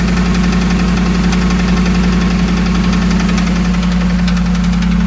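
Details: 2008 Dodge Ram 1500 5.7 Hemi at idle: sharp, regular tapping knock near four per second over the engine note. Five mechanics couldn't identify it and suggested a new engine; cause unknown.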